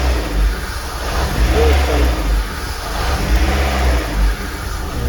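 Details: Worn, oily VAZ 2110 with an LPG system that won't run on petrol. Check engine light on. Lumpy running surges and sags about every two seconds: misfire with unstable idle. A vacuum leak from a cracked hose is suspected.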